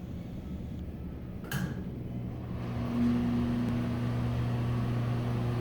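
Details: Broan exhaust fan from a restaurant: a low steady hum settles in as the fan spins up, with a higher droning note over it; the motor hums a lot, cause unknown.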